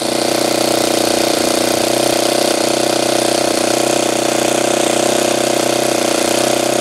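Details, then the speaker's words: Saito 90 twin glow engine after low-speed adjustment, glow driver disconnected. A steady buzzing drone at fixed throttle with a slightly soft, burbly edge; the needle is set somewhat rich. "so that's pretty good kind of rich"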